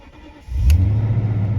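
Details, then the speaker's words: 2001 BMW 750iL Sport cold start in snow after sitting about a week; owner feared a rattly VANOS and heavy oil burning. Catches after a short crank into a steady, deep idle with no knock, rattle or whine; some oil smell. Healthy cold start. "not bad actually there it is smell some oil so hopefully burned a little oil for you"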